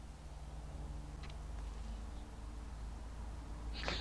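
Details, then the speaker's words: Toyota Celica starter: solenoid plunger checked and free, yet two dull clicks over a quiet hum and no cranking; suspected seized starter or starter problem, possibly an engine problem, unconfirmed. "seized potentially could be the starters seized or could be a starter problem it also could be an engine problem"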